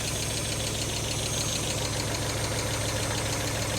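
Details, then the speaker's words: Fire-damaged Mk1 Mazda MX-5 (Miata) after new spark plugs, HT leads presumably OK: uneven idle with an irregular stumble about every half second; still misfiring on cylinders 1 and 4, coil pack suspected next. "yep cylinder one still doing nothing so still miss firing on cylinder 1 and four which is pretty much what I expected"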